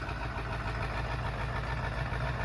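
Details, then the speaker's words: 7.3 Powerstroke diesel truck, about 740,000 miles, started after sitting, on Rotella 15W40: deep, even idle with a steady beat, no knocks or misses; owner thinks it could use fuel additive for stiction but runs great. "I think it could use a fuel additive for the stiction, seems like, but overall, great running truck. Fires right up every time."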